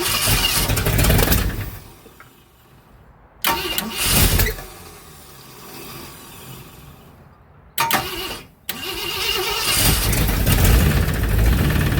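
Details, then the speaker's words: 1965 Ford Thunderbird during a rebuild, first start: several cranking bursts, then rough idle with a loose metallic rattle and clank; owner hopes it is just an exhaust leak, cause not found. "I can hear that rattle clank tilt. That ain't good. I want it to be just an exhaust leak."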